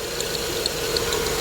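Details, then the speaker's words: 2000 Grand Am with a rebuilt 2005 Impala 3.4L donor engine at first start, MAF and airbox not yet fitted, fans on high. Light rapid ticking and scratchy chirping over steady idle from the belt drive. Suspected alternator, pulley or tensioner; tensioner visibly bouncing, alternator most likely. "So we either got an alternator squeaking, this pulley, or the tensioner. Tensioner's bouncing a little."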